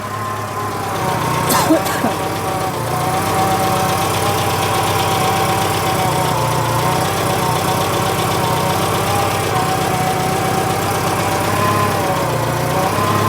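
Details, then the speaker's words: Citroen GSA idling, battery resting 12.4 V; loud, busy mechanical clatter over a steady idle, plus a clicking from the hydraulic pressure cut-off; excessive engine noise, cause not found. "noisy The car that just keeps on giving isn't it"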